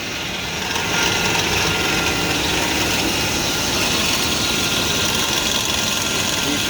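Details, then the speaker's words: 2000 GMC Yukon Denali at idle: fast, uneven chattering from the front of the engine, caused by a vibrating belt tensioner pulley; the whole tensioner was then replaced. "belt tensioner pulley it's not working right it's got a little vibration in it that's what's making that chatter"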